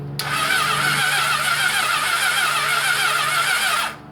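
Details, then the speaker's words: Honda CB750 engine (original frame) cranked by kickstarter before engine removal: fast, even spin with hissy whoosh and no chuffing beats; no compression, exhaust audibly leaking, oil pressure present. "No compression. The lights bad. I haven't got my thing with me."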